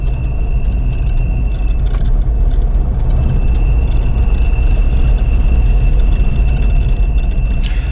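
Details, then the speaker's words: Classic car braking downhill on a Cumbrian road: thin steady high-pitched squeal above road rumble; brake squeal. "If you listen very carefully, you can hear Bill's brakes squealing."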